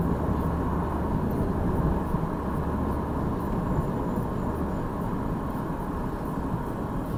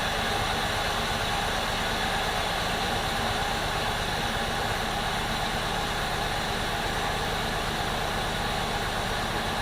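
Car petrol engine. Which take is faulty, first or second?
second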